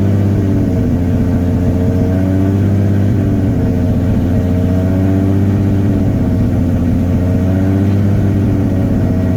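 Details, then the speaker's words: Nissan R32 Skyline GTR, about 620 whp, idling with clutch released; faint whirring rattle over the engine note, gone with clutch half pressed, owner suspects throwout bearing, unconfirmed. "You guys to hear something. I can't figure it out. I think it's my throwout bearing, but I don't know if you can hear that."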